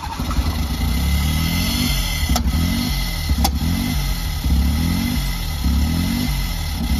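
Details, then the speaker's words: 2003-2007 Smart Fortwo 450, started with gearbox out of car after spare-gearbox adaptation: idle rises and falls about every second, surging because intake pipe is disconnected. "so it has started it is running rough at the moment because I've actually got the uh uh their intake pipe disconnected as you can see there so that's that's the reason why it's surging"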